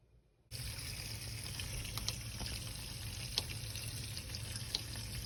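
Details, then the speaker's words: Bosch dishwasher after clearing an E-24 clogged drain error, steady even rush of water running freely with no gurgling; two food pieces blocking the small drain had been removed, and it now drains normally. "well now the water is moving freely you can hear that sound so it was these two pieces"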